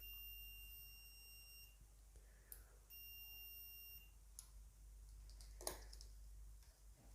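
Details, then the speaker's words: Multimeter set to the continuity/beeper (diode) mode: a steady high-pitched beep sounds each time the probes touch and stops when they part; continuity tester working normally. "To use it, you can set the multimeter to this beeper icon. There is also a diode here. Now whenever we will connect the probes together, you can hear a"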